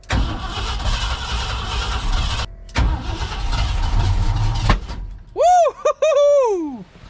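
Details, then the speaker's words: 1990 Ford F600 carbureted engine, flooded, at wide open throttle: cranks and catches in rough bursts, stalls, then a hard bang. A backfire while cranking, suspected from overfueling; plugs and plug wires still to be checked. "that a backfire all right make sure she ain't puking again I think this thing has dynamite in the exhaust uh it backfired hard enough to break dirt"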